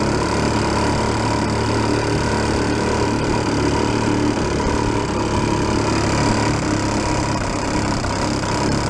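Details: 1937 Sears Water Witch 2.5hp outboard, 83 years old, revived after about 60 years in a shed, mixture set richer: even, steady drone throughout under load on water, no misses, knocks or surging, getting warm; normal running.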